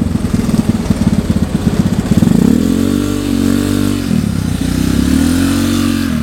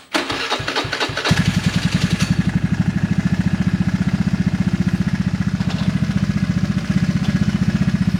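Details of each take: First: Honda Vario 110 carburetor scooter with a new R-One standard-racing exhaust replacing a 4–5-year-old pipe; deep muffled exhaust drone rising and falling with throttle, carb intake roar and engine noise louder than the pipe; normal, healthy running. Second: Honda Vario 110 carbureted scooter with newly fitted stainless R-One standard-racing exhaust: at idle after startup a fast regular light ticking, three to four per second; owner says engine currently has a ticking (ngeletek) noise, cause not stated.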